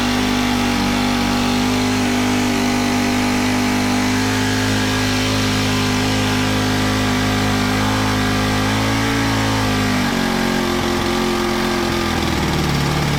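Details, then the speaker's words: Honda FG110 tiller with GX25 four-stroke, after cleaning oil-soaked air filter and with oil low: raised, uneven high idle sagging only late; overtight 10mm throttle-cable nut keeps throttle from closing, to be loosened. "The 10mm nut that's holding the throttle cable on is too tight. It's not letting it idle all the way, so I'm going to loosen it up."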